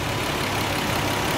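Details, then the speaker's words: Nissan 300ZX that had a misfire: steady, even idle, no stumble or hiccup, smooth low drone. Normal idle. "Oh my Lord. Let's see what she sound like. Man. She sound like she running smooth, fellas."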